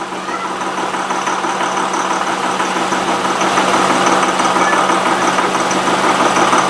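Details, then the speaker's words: 2005 Honda Pilot idling in Reverse: rough idle with clattering, diesel-like rattle, worse at idle than when driving. "so this it's in Reverse and it's just idling here you have this diesel engine sound"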